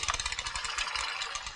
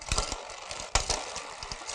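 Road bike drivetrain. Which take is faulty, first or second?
first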